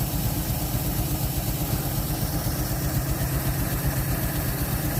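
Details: 1948 Chevy inline six, off the road since 1968, just restarted and pulling fuel from the tank on very old gas, no choke: steady, even low rumble about four beats a second, no misses or knocks; running like a sewing machine, idle later picks up, normal.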